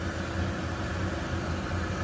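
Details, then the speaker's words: Old Weil-McLain HE boiler with integrated control 1013-200, no-heat call, running after high-voltage connector reseated: constant low fan drone with uneven rumble; combustion blower sounds tired, suspected, not confirmed. "And it sounds like the blower's getting tired here."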